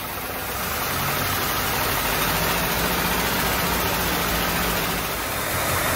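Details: Low-mileage 1939 Cadillac with engine overhauled in 1981 and stored over 40 years, first start after reinstalling, good oil pressure: steady, even idle with a constant beat and no knocks or misses. Runs smoothly and healthily.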